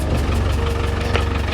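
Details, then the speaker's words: 35-year-old Land Rover Defender 110, first start after sitting, air heard escaping under the engine when cranking: rough idle with a dull, uneven knocking and puffing; owner suspects a blown head gasket, not confirmed. "right now I don't know what that noise is it's probably not good I think the head gaset need replacing"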